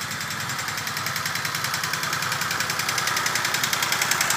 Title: Peugeot 304 bruit moteur